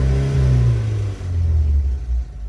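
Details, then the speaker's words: BMW E30 M40B18 turbo project (turbo not yet connected) on a standalone ECU after its first start: engine revved up during autotune with warm-up enrichment off, running a bit rich. Deep, even four-cylinder note rises smoothly on each blip and settles without misfire; normal revving. "so the autotune is on, and febo will rev it a little bit all the way up here, so it can correct the cells"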